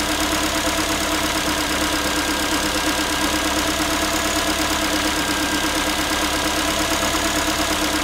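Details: Ford Focus 3, 1.6 engine (125 hp), steady idle after a cold start: a light, tinny, rapid metallic rattle at about three per second from the engine. The owner is asking what it is, and the source is unclear.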